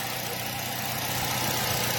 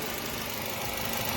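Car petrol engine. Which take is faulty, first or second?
first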